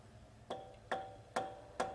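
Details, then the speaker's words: Marshall tube amp after reverb repair, chassis being removed; four sharp mid-pitch pings about every 0.4 s, briefly ringing; microphonic ringing, suspected a component gone microphonic and bad, unconfirmed. "We still got that. Tends to make me think that we've got something in there that's gone microphonic and it's gone bad."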